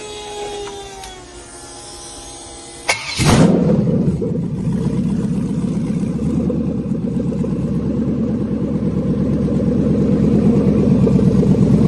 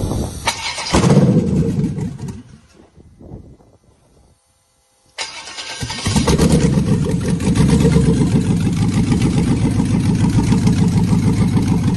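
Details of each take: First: 6.0L LQ4 V8 with 188,000 km, running briefly on an engine stand with no cooling: a short crank, then it fires and settles into a steady, even idle with no misses or knocks. It runs healthy. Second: LS V8 (188,000 km) on a swap prep stand, super cold start without mass airflow sensor: rough, uneven idle with a lopsided pulse, one injector dead causing a single-cylinder misfire.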